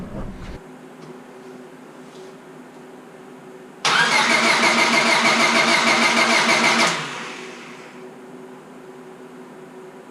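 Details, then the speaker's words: Honda Civic Si after rebuild, distributor with new cap and rotor fitted: starter cranks steadily about three turns a second for three seconds, no firing, still no spark; owner unsure but saw arcing spot on distributor's coil. Crank no start, suspected failed ignition coil. "Still no spark, I'm assuming. Well guys, I'm really not 100% sure if this is it or not, but I did notice a spot on the coil here that looks like it's been sparking."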